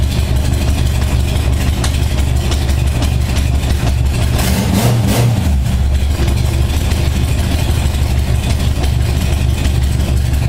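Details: 1978 Honda Goldwing cold start after carburettor sync, about 52°F in an underground space, choke on and throttle about an eighth turn; smooth, even low rumble near 600 rpm with one brief blip, no hunting or stumbling, settling quickly into a nice idle.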